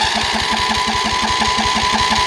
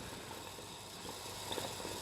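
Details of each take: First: Briggs and Stratton single-cylinder engine on a Cub Cadet mower, previously blowing oil from the fuel pump with a bad head gasket, runs with a quick, even beat and no knocks or misses: normal running. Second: Briggs & Stratton engine on a Cub Cadet that is blowing oil, under a leak-down test: a soft steady hiss of escaping air with faint gurgling/bubbling and jumping gauges, showing a bad head gasket.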